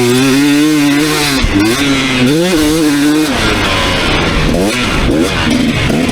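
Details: 2019 KTM 250SX two-stroke with Lectron Billetron 38 Pro carb, ridden under load after torque jet opened half a turn: clean revs, no detonation or metallic pinging, but burbles a little in places, slightly rich.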